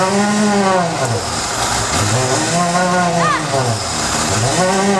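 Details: Rover SD1, exhaust pipe only half connected at start-up: loud, raspy engine with rising and falling revs and a harsh open blat; exhaust leak.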